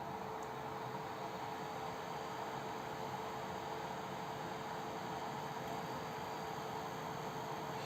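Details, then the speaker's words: Tronxy XY-2 Pro 3D printer: a steady airy whoosh with a faint constant hum. The power supply fan is the main noise source. "le bruit principal est créé par le ventilateur d'alimentation"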